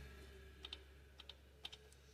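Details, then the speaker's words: Honda with P0341/P0366 cam timing codes: the exhaust and intake VTC solenoids are powered directly. Three pairs of sharp light clicks half a second apart over a quiet hum, exhaust side slightly louder; the solenoids click normally. "side so uh it sounds like the S the exhaust a little bit louder but both are clicking"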